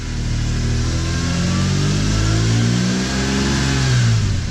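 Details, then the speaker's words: BMW E46 M3 S54 straight-six after a VANOS rebuild and valve cover gasket job. A smooth, even idle climbs cleanly through two quick revs and settles back with no tick or knock; running as smooth as ever. "The engine is running as smooth as it's ever been. It's just amazing. It's like a completely new sound, a new feel."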